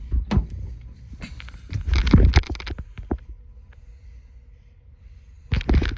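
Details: 2023 Infiniti QX80, after battery reconnect fix: door and seat thumps, then a quiet cabin with no warning beep from the power third-row seat.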